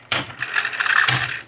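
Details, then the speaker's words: Tandberg TCD310 cassette deck with the cover partly removed, in fast forward: a quick click, then about a second of fast, airy whirring as the tape spools hard; the transport winds normally and strongly. "fast forward and the wi in this deck is very strong we'll see why later that's a wi that's fast forward"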